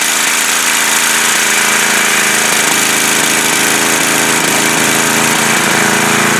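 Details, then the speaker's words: Coleman Powermate MAXA 5000 ER generator running evenly at constant speed with a steady, busy clatter and no hunting or surging, after fitting the new carburetor's needle into the old carburetor and leaning the air-fuel mixture, which had been too rich. "tightened her up some reduce the fuel gave a little bit more air and then you seen the outcome it works now"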